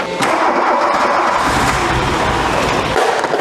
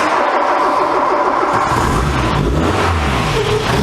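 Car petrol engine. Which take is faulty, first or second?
second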